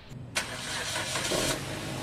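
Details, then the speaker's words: Suzuki Ertiga during oil change, engine freshly started: sharp catch then shaky, buzzy idle with a loose rattle; the start-up vibration noise the customer reported comes from the loose, wobbly air filter housing. "Ayan daw yung ingay na naririnig ni customer tuwing nag-i-start siya eh Dito lang naman pala nanggagaling yung problema sa air filter housing niya"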